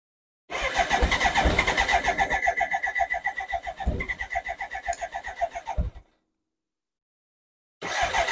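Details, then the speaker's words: BMW K100 motorcycle project, cranking: starter churns about four beats a second with occasional catching firings and a sharp bang near the end, never runs; owner suspects unburnt fuel getting through, possibly spark problem. "excited and that's the bang doesn't do that very often which means a lot of unburnt fuel I think is getting"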